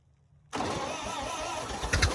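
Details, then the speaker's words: 1928 Ford Model A sitting about 75 years, cold, run on ether with new unseated rings and low compression, timing slightly retarded: rough, labouring churn with uneven firing, struggling to catch; hard starting. "So I'm going to run her off ether first, because we did change rings into different blocks and the rings ain't seated, so the compression's not going to be that great right off the bat."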